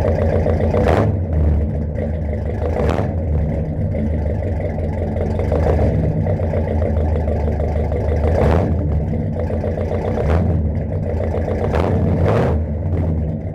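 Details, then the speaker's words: 1969 Mercury Monterey V8 first running after 16 years: steady, even low idle holding on its own without dying or hunting; needs a tune-up with plugs and wires. "oh she's idling on her own now too definitely needs a tune-up i'll put some plugs and wires in it"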